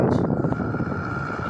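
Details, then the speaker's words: Indoor AC unit running, before removing cooling coil to test motor alone: steady fan rush with thin constant whine and rough undertone; suspected worn blower motor bearing or bush. "तो दोस्तों हम इस आवाज को check करने के लिए इसकी सारे मतलब ये कॉइल कूलिंग कॉइल निकालेंगे और फिर मोटर को अकेला चला के देखेंगे अगर मोटर में ये आवाज आती हुई तो मोटर में दिक्कत है"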